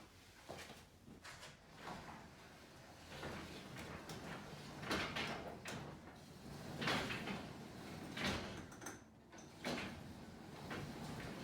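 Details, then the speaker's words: 9x7 garage door after replacing worn steel rollers: travels with only soft, even roller clicks and a low, smooth rumble, much quieter than before. "all right I said I definitely made a pretty big difference and how the door runs and definitely overall noise level above the door"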